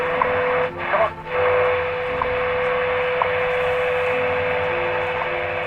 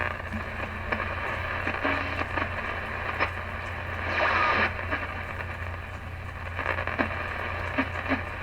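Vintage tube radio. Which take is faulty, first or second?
second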